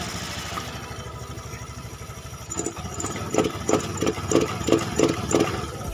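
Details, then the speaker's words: Honda Beat FI scooter, no MIL codes, TB, fuel pump, EOT sensor, plug and injector already swapped; rough idle then about six quick throttle blips, each choking with a hollow 'ngok' instead of picking up: bogging on sudden throttle, though fine when rolled on gradually. "dikocok seperti itu nggak bakalan langsung dapat ya biasanya ada ngoknya tapi nggak parah seperti ini bukan karena di open"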